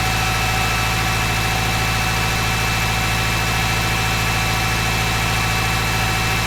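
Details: Kubota M15GX engine after a full engine rebuild, oil pressure warning light checked; settles into a steady, even idle with a smooth low thrum, no knocks or misses; owner considering checking top-end oiling; normal idle.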